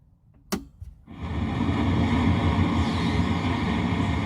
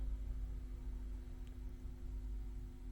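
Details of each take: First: Marshall 1987 50 W head (2002 reissue), very noisy: after switch-on, a constant hiss with fine frying-bacon crackle over a low hum; tubes already tested good, plate resistors suspected, and a bad problem found under the PC board. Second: Marshall 1987 50 W head (2002 reissue), previously frying-bacon noisy, after PCB board reinstalled, resistors properly fitted and flimsy terminal wire replaced (two others not yet replaced): only faint steady mains hum and soft hiss, no crackling; quiet amp hum.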